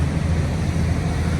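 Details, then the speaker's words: 1981 Chevy C10 V8 after a loose distributor rotor was fixed and the valve cover refitted, just started at about 30 degrees and not yet warmed up. A low, even idle rumble with no skips; the engine no longer misses. A normal idle. "but I mean it's running really good it don't sound like it's missing anymore"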